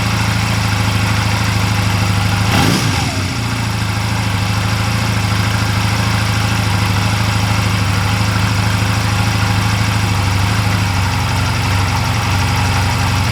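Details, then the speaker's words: 2004 Honda Rebel CMX250C twin with NGK CR6HIX iridium plugs fitted after the CR6HSA plugs idled poorly: after a brief blip the idle settles steady and even. It idles cleanly with the iridium plugs. "I don't understand exactly what was wrong with the cr6 HSA plugs but the bike didn't idle well with them in so the hix plugs seemed to be working just fine"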